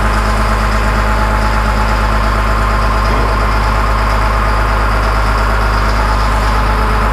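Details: 2000 Cat 563D ex-USMC vibratory roller, 25 original hours, restarted after fuel filter change during full service: steady, even low diesel chug about three beats a second, no knocks or misses; healthy smooth idle.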